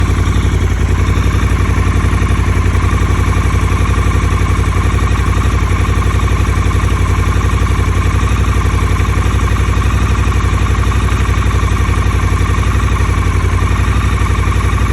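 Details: 2022 Triumph Scrambler 1200XC twin, 2000 miles, idling with a steady knock about four per second, appearing right after a dealer service and oil-leak repair with test rides; owner suspects over-revving by the tester, cause unknown.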